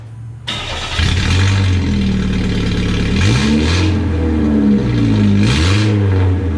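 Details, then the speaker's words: Engine started with the rusty muffler cut off. A loud, raw, deep idle with a few throttle blips; the unmuffled exhaust drone is clear. "You cut your muffler off, you have to hear what it sounds like. So we'll go ahead and do that."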